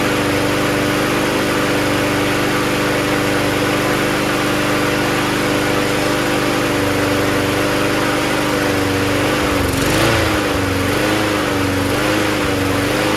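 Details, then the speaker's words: Toro GTS self-propelled recycler mower with a 6 HP Briggs Quantum engine, after the carburetor was cleaned and the fuel line replaced. It runs on its own with a steady, even drone without hunting, with only a brief wobble near the end; healthy running. "so let's just spray a little bit of spray through the carb again this time it should run on its own because we clean the carb so"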